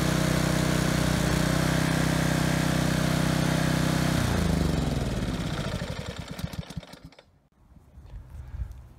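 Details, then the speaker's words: Kohler Courage XT7 on Husky HU80709A power washer after carburetor cleaning: high drone whose pitch swings and sags before dying; over-revving with governor hunting. "so I think it was just over revving a little bit and the governor was kicking in and just kind of causing that oscillation"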